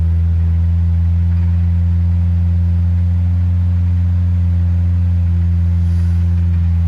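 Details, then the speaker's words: 1970 Morris 1300 (ADO16) barn find, first successful start after sitting, choke held out: low, steady, even idle with no tapping or exhaust blowing. A fuel pump delivery problem is suspected. "It's sounding pretty sweet. Not blowing out of the exhaust anywhere. Not tapping or anything, sounding really nice."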